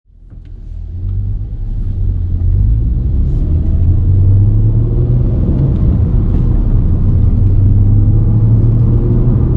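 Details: Volkswagen Golf MK5 R32 in motion, deep steady rumbling drone heard inside the car from a worn wheel hub bearing.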